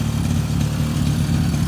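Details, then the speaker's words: Freshly top-end rebuilt 2002 Suzuki LT-A50 50cc two-stroke quad with new Wiseco piston, warm after first start: steady, even two-stroke burble with smooth rhythm, no misses or knocks; normal healthy idle. "started right up that's amazing we're fighting this thing just because of that seal this is amazing look at that they started on first pull I'm so excited and it just sounds so healthy"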